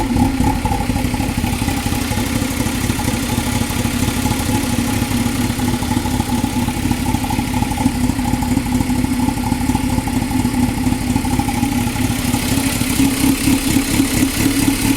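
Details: 2000 Toyota MR2 Spyder with a replacement engine fitted under 90 days ago, since getting a new water pump and all three O2 sensors: uneven pulsing idle with light clatter; rough idle, cause not clear.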